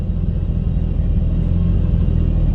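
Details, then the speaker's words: Mitsubishi Lancer Evolution IX, cold start on a cold day after rough-idle fix (previously stumbled until warm): deep steady idle rumble with no stumbling or misses; normal cold idle. "okay well here's the moment of truth to see if we sure you did anything and actually idols oh man before it would just like absolutely stumble on its face forever until it was warmed up"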